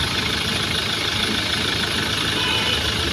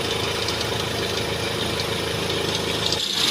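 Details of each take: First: Mahindra XUV500 diesel after replacing the fan belt and pulley adjuster that were making noise: steady, even idle with no squeal, chirp or rattle from the belt side; belt drive now quiet. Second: Mahindra XUV500 diesel at idle: fast, uneven chirping rattle high over the clatter from the fan belt and tensioner/adjuster.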